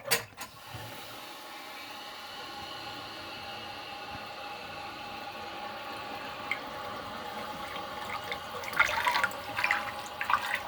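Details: Kohler San Rafael Water Guard toilet after 8 years of use, with a Coast fill valve described as noisy: sharp gurgling flush, then a steady rising hiss as the tank refills; normal flush and refill.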